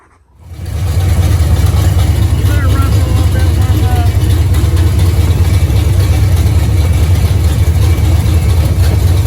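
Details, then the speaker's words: 1973 Camaro barn find V8, after fixing carburetor leaks, with a starter that must be hit to engage and a small transmission cooler line leak: quick start, then a deep, steady rumble with no knocks or misses; running pretty decent. "Got all the leaks on the carburetor taken care of. Got everything plugged up. Sounds like it was running pretty decent."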